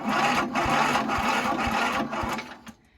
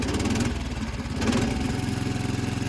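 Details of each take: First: About 55-year-old Montgomery Ward lawn tractor, in neutral with the blade off and full choke, battery charged with a marine charger. The starter turns over slowly and laboriously without firing, lacking power. It fires shortly afterwards. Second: 55-year-old Montgomery Ward single-cylinder lawn tractor, first start on full choke with a weak battery, in neutral with the blade off: catches and runs in a steady, slightly lumpy beat. Healthy first start, then stalls when the clutch is released.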